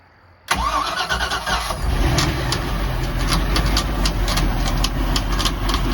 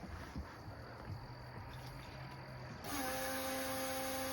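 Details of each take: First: Mercruiser 5.0 MPI marine engine, first start with water on after fuel pump priming: engine catches and idles with a light uneven tapping from the power steering pump, which has been leaking; tapping expected to clear up shortly. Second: Mercruiser 5.0 MPI marine engine, first start with water on: at key-on a steady low electric whine holds level before cranking, the fuel pump priming as normal.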